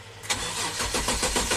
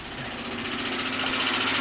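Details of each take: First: 2005 Kia Sorento 4x4 with intermittent crank no-start that became permanent, fuel pump and crank sensor already replaced: short burst of steady, even starter cranking with no firing; engine computer not communicating, dealer diagnosed ECM failure. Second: 2005 Kia Sorento 4x4 with intermittent-then-permanent crank no-start, after fitting a $100 eBay engine computer and clearing codes, not run in about a month, battery weak: engine catches and settles into a steady, even idle with fine ticking, no knocks or misses; healthy.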